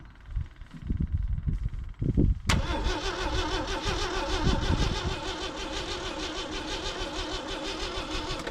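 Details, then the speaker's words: 1980 Jeep CJ with 258 inline-six, sitting 20 years: uneven cranking bursts, then a steady fast starter whir that never catches; cranks but won't start, owner suspects spark was lost. "something tells me we lost spark now that didn't unhook on the other one did it no"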